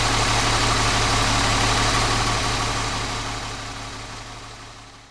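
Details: 1970 Mercedes-Benz 280 SE six-cylinder, which has a seized left rear brake caliper from a collapsed flexible brake hose: even steady idle, smooth regular pulse about four beats a second, no knocks or misses; normal idle.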